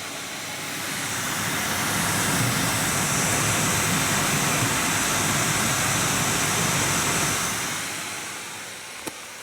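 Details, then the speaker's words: Nvidia GTX 980 reference card blower fan at 100%, about 4,200 RPM, microphone right up to card: loud steady rushing air hiss swells and holds, no rattles or ticking; healthy fan at full speed. "So that's 100%. And like I told you, it is around 4,200 RPM."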